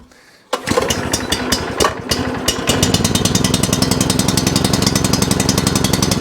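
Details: Non-running tiller/rotovator being tested before purchase, started on choke with fuel on; dead quiet, then the small single fires and settles into a fast, even popping beat. Now running fine.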